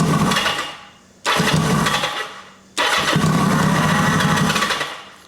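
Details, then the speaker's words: 1980 Kawasaki KZ750 fires and roars in two bursts while cranking, each dying within a second once the starter is released; owner suspects ignition cutting with the starter button, while the fuel line connection is leaking heavily. Cause not confirmed. "almost sounds like it's killing the ignition when I kill the starter button."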